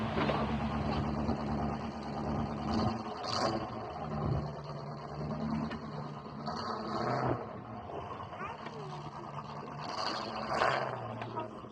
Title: the v8 misfiring ut still going.